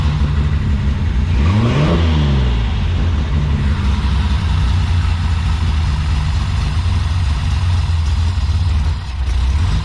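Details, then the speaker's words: Nissan 240Z after refuelling, lumpy cam fitted: lumpy, uneven idle with one quick rev blip, then an unsteady low rumble; it runs better with fuel but is running rich and still needs tuning. "minute so she definitely runs better with fuel in it still needs a bit of tuning she's running pretty rich"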